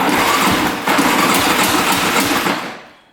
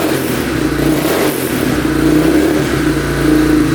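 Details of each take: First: 2002 Yamaha Warrior 350 quad, non-running, cranking on the starter: quick cranking with a metallic clank each turn; owner suspects the one-way (starter clutch) bearing, cause unconfirmed. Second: 2002 Yamaha Warrior 350 single, first run after carb clean and oil change: steady, even beat, revs cleanly with no misses; sounds decent but smokes heavily, owner unsure whether oil burning off in the exhaust or it needs a rebuild.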